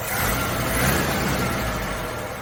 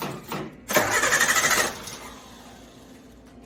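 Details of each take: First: Carbureted Suzuki Samurai (SJ410/SJ413) after troubleshooting, in cooler evening air: after a couple of pedal pumps it catches and keeps running with a rough-edged but continuous, slightly swelling rumble. Firing again. Normal running. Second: Carbureted Suzuki Samurai (SJ410/SJ413) that broke down, after the carb power valve was replaced: three long bursts of steady cranking at about three turns a second, never firing. Still won't start, cause unknown. Crank no start.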